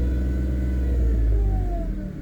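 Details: 2008 Pontiac G6 3.5 near operating temperature with a thin mid-pitched power steering pump whine over a deep engine rumble, drifting as the steering is cycled to bleed air from the system.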